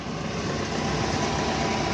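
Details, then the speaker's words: Daihatsu Hi-Jet van, 54,000 miles, unstarted about 6 years, booster-pack started, oil and timing belt unchecked: smooth steady idle with no misses or knocks, sounds sweet; normal idle. "54,000 miles. And considering I've been started for like 6 years, it sounds sweeter than that."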